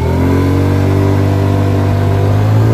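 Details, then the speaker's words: Chinese 50cc scooter engine with stock CVT variator, wide-open throttle from a dead stop before modification: engine note stays low and climbs only slowly; slow low-RPM takeoff from stock CVT gearing. "from a dead sit still watch how bad it walks out this is how low the RPM range is"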